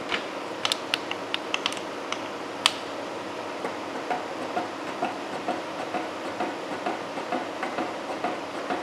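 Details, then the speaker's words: Face mill in a horizontal mill head, cutting about 0.050 in deep at slow feed for a steam locomotive valve yoke: sharp, uneven ticks about twice a second over the cutting hiss. One insert is taking most of the cut, likely a chipped insert. "again sounds like I got one cutter doing most of the work but you know what we're going to roll with it it appears to be cutting really good"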